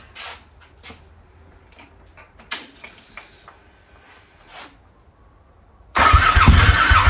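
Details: Harley V-Rod, first start attempt in at least four years with fresh 91 octane fuel and new battery, plugs likely wet from penetrating oil: quiet clicks, then loud churning starter crank that never catches; long crank, no start.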